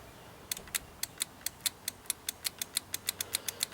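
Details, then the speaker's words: Toro ride-on mower with a low battery, key turned while checking voltages at the starter solenoid; rapid dry clicks about five or six a second with no cranking; starter relay chattering from low battery, exact clicking relay uncertain. "all right you can hear it click just put my finger in here yeah it's hard to say exactly but i don't think it's that runway that's clicking"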